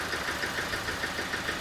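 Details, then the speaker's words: 2007 Toyota Avensis D-4D diesel idling with a sharp, uneven tappety ticking knock, about six or seven a second, with low power and an engine light that had flashed earlier; code P1238 injector current points to an overfueling injector, possibly number four. "sounds like a mess because it is a mess there's a dead mess so we'll draw some fault codes can they sound like it was a tappity noise almost like from the camshaft"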